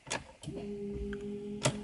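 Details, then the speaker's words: Think City EV no-start, towed in: after replacing a burnt 7.5 amp fuse, key-on gives sharp new relay clicks, then a steady low electrical hum as it powers up; green ready indicator comes on, car now starts normally. "let's see how much impact that fuse had oh we got some new clicking let's starting it"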